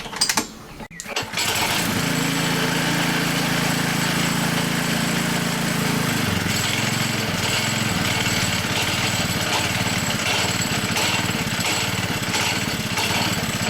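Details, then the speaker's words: High-mileage Hayter Harrier 48 model 479A mower after reassembly: steady running with loose, uneven knocking about three per second from worn blade brake disc, disappearing when blade brake engages. Blade brake disc knock. "If you've got a 479 or a 579 with a lot of mileage on it where it's been used a lot, that could be the reason why you're hearing that noise."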